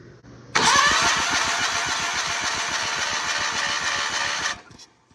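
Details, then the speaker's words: 1991 John Deere 316 garden tractor, worn Onan P218G engine, compression test with carburetor off, after it wouldn't fire on ether: steady cranking about four beats a second with airy hiss, slow soft crank; gauge reads 45 psi, low compression. "That is not good. That is 45 psi."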